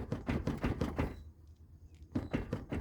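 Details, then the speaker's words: Chevrolet Corsa Classic front end: quick hollow plastic knocks about five a second from a loose front bumper that rattled over potholes and rough asphalt; initially suspected dried "morcego" bushings, but it was the bumper. "Ó o que é aqui, ó. É o para-choque, ó. O para-choque que passava no buraco, no asfalto ruim, ó."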